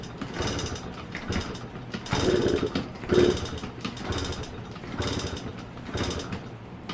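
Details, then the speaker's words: Yamaha PW50 two-stroke, sat in a shed for years, fresh premix, fuel on, choke on: uneven kick-over bursts about one a second, engine turns but never catches; no start. "side well it's safe to say it is not starting up"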